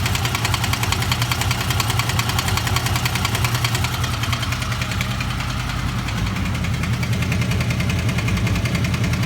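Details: Honda VFR800 V-four idling cold with a steady knock about three to four a second over the exhaust.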